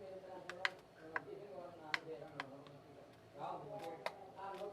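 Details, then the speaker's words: Digital rice cooker after replacing relay and capacitor, 12 V present: few crisp sharp clicks as start pressed, relay pulling in, heating element gets 220 V; switching works normally. "cancel duluentarah bunyi ya cemetek seperti itu"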